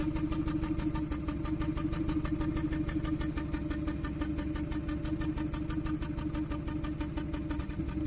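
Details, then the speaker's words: 2014 Kia Cerato at idle with injector 4 cut by actuation test while cylinder 1 already misfires: uneven lumpy hollow chuffing, cylinders 1 and 4 out; cylinder 1's miss comes and goes, confirming it as the fault. "الرابع والأول نسمع التفتفة. وقفنا عليه، الحين تفتفة الأول تجي وتروح."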